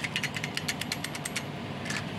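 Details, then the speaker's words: Mitsubishi L300 clutch disc removed with the transmission lowered: bright metallic rattle, about eight quick clicks a second as the disc is dropped; worn, loose damper springs, causing judder on first-gear and reverse take-off. "kedua yaitu per atau pegas dari kampas kopling sudah mulai kocak teman-teman kalau kita lihat ini bekas kemakan ya bekas kemakan terus ini juga bekas kemakan kalau kita jatuhkan Nah itu ada suara kocak kocak"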